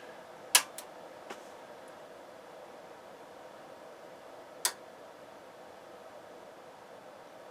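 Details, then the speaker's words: Crown CDi1000 power amplifier, known for a bad C196 capacitor, on the bench with one channel into a dummy load and monitored by an RMS voltmeter and scope. Two crisp relay clicks about four seconds apart over faint fan hiss. It powers on normally. "we got two clicks and I think we're on now"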